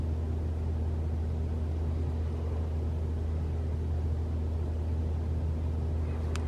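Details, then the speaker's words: 2021 Toyota RAV4 Prime SE in EV mode, battery fully charged, 44°F outside, heater on, fan one to three bars: low steady heat pump hum with fan, no rattle or loud startup noise owner hoped to reproduce; normal. "okay well that's three bars and no noise so I'm kind of sad"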